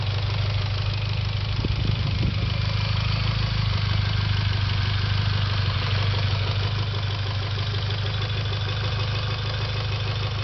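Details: Mitsubishi Evo X at steady idle with a light, quick ticking about three per second over the engine note; cause of the tick not pinned down.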